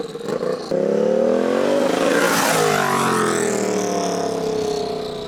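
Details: Warmed-up turbocharged Royal Enfield special (R6 front end and brakes) revved hard: high whistle climbing with revs and falling slowly as it winds down, brutal and beastly; healthy, normal turbo whistle.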